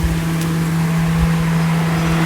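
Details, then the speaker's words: 2009 Nissan Versa, about 30,000 miles, cold, key on, engine not started: a steady low motor drone as the radiator fan runs at high speed. The car cranks but won't start; the cause was two ECU pins not making contact, now fixed. "I'm just going to um turn the uh ignition switch. And you hear that? That's the fan."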